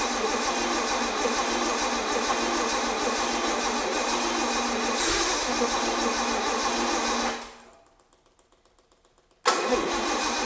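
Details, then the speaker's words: 50-year-old petrol engine in a 1975 Bedford truck, first start in restoration, plugs not cleaned, no choke, some gas given: steady cranking with weak catches, won't start. Cleaning the plugs is planned; later it ran with choke. "yeah see don't want to start anymore clean up plugs have another go"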